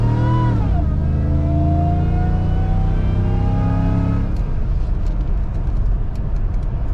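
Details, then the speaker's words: 2005 Joe Gibbs supercharged Tahoe after transmission repair for a burnt band slipping in 2nd and 4th, fluid topped off and tuned, on test drive: engine climbs, drops sharply at the upshift, pulls smoothly again; firm, crisp shift, no slipping flare. "see i made sure second gear was nice and firm and you know the whole transmission real snappy so here we go"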